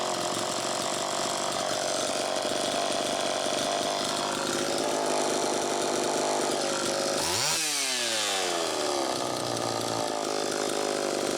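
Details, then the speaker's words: Homelite Super EZ chainsaw after carburetor fix, high-speed needle reset to one turn from about four: thin steady scream at full revs, then sudden drop; still lean, crankshaft seal suspected bad. "that carburetor had a problem but i also believe that the crankshaft seal is bad so as you could tell you know it was the tuning"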